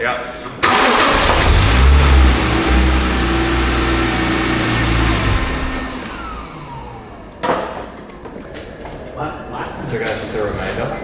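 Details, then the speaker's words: Barn-find BMW E46 M3 after a new fuel pump was fitted and fresh fuel added: the engine cranks evenly about four beats a second for five seconds but never fires; no fuel delivery when the ignition is cycled, and a relay may have gone back in the wrong spot. "okay so if we cycle the ignition we're actually getting no fuel so we've been cranking this dry beam"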